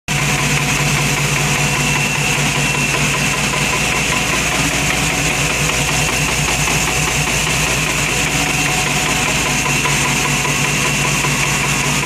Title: Ticking noise